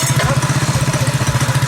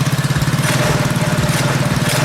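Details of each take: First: Predator 212cc single in a modified Coleman KT196 go-kart, ignition timing advanced after crash damage, idles in a steady putter at about fourteen pulses a second, even and unbroken, with a clean exhaust note; healthy idle. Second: Predator 212cc engine on a KT196 go-kart after its ignition timing was advanced: a fast, even single-cylinder thump, idling noticeably higher than usual; the higher idle is attributed to the advanced timing and the idle or mixture screw can be reduced.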